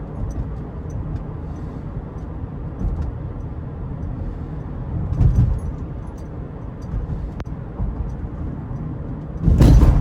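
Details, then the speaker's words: 2018 Subaru Forester Limited, 170-hp 2.5L 4-cylinder, in-cabin at cruise: steady low road hum with a couple of soft bumps, no creaks or trim rattles; tight, quiet cabin. "As you can hear, there's not many creaks and rattles from this interior, even after almost 10 years."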